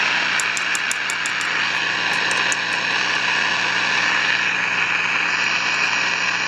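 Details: 1953 Crosley AM All-American 5 (AA5) tube radio, no antenna, tubes warming, radio/phono switch on back: loud steady hissing roar with sharp ticks, no station audio; not silver mica disease, as pulling either of two parts silences it; owner suspects oscillator running way off frequency.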